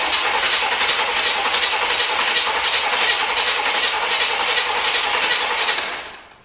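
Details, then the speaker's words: 1973 Corvette bought on eBay, fuel in carburetor, spark being tested: steady cranking near 160 per minute with a sharp hiss, never catches; vacuum ports closed, owner suspects firing order, no compression or lost spark. Cranks but won't start. "It's weird. It sounds like it has a hissing noise."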